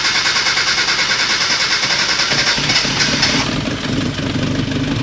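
Steady cranking runs straight into a catch, then settles to an even, regular idle with no misses or knocks.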